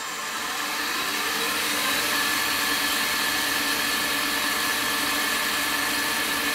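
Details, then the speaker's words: Steady, smooth high-speed whir with no knocking from a PowerPro upgrade belt drive after its belt alignment and tension were corrected. It is much quieter than before, checked at increasing speeds. "that sounds really good I don't hear any knocking"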